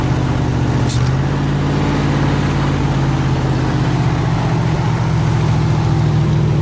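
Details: 302 V8 powering an air compressor, after the troublesome HEI distributor was swapped back to the old points distributor and the carburetor rebuilt: steady, deep, even idle rumble with no knocks, misses or hunting; idling smoothly and healthy.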